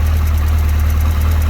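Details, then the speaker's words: 1991–1992 Kawasaki KZ1000P four-cylinder police bike, retired with 30-some thousand miles: steady low idle with a light fast ticking clatter from a cam chain with loose spots that can't be adjusted out, fading at higher rpm; loose cam chain rattle. "you'll hear the cam chain noise at low RPM when it's loose move it up and it's tightened a little bit that goes away"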